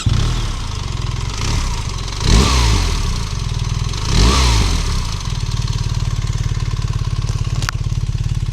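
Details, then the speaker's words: 2025 BMW R1300RS Performance boxer twin at tickover during a test ride stop: even, lumpy twin idle with two clean blips rising and settling smoothly; no ticks or rattles, inoffensive exhaust note; healthy. "tick over. Kind of sounds all right, doesn't it?"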